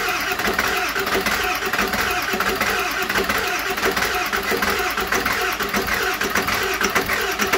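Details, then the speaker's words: 7.3L Powerstroke (Navistar T444E) turbo diesel, 372,000 miles, first cold start after about two years sitting in a crate: steady rattly clatter with a muffled exhaust from the working back pressure valve; runs evenly, normal cold start and idle. "sounds like the exhaust back pressure valve works [Music] well there you have it it's alive"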